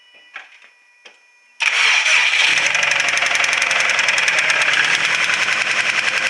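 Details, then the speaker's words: Subaru WRX STI with engine problem: starts and idles, then a sharp, even tick at about three to four per second over a rough idle, losing rpm and dying; severe ticking heard all over the engine by stethoscope, cause unknown. "so as you saw and heard it it starts up okay it seems like it idles okay it's got a severe ticking noise in it and then it keeps losing rpm and dying so not sure what that's all about"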